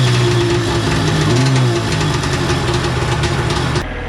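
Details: Two-stroke engine of a stand-up PWC (new-to-owner Yamaha Super Jet, modified) after fixing a lost engine ground, buzzes steadily with a busy, crackly exhaust note, no misfire or stumble; normal running.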